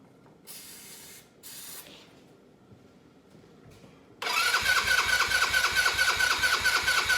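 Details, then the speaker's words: Cheap Chinese buggy sitting 2 years, air cleaner removed: starter spins briskly about two turns a second but never fires; fuel delivery issue, since gas poured into the carburetor made it run briefly. "Yep. Well, it's definitely a fuel delivery issue because I poured a little bit of that gas out and it looked pretty good."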